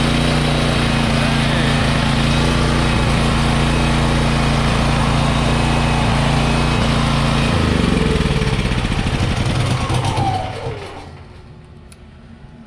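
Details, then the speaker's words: Wen 8750 starting / 7000 running watt gas generator bought from a pallet auction listed as not running: steady, even drone after reconnecting the disconnected wiring harness plug, started on starting fluid with fuel tank disconnected, then shut down; it's making power. "looks like it's making power"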